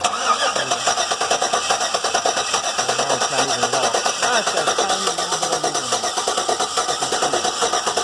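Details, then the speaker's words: 2007 GM 5.3 V8 with Active Fuel Management, misfire on cylinder one: cranks and catches, then busy uneven valvetrain clatter; one lifter found sticking, not fully collapsed as it still moves slightly; owner weighs tapping the pushrod in or pulling the head to replace the lifter. "so we figured out the other day that one of the lifters is sticking it doesn't seem to be collapsed completely because it moves a little bit"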